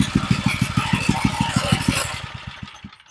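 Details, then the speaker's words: Old 20–30-year-old edger with a replacement engine, started on full choke, no air filter yet: slow, even putt-putt at very low idle, about three beats a second, steady and clean; normal low idle. "This sounds pretty good. I love it when something will idle that low."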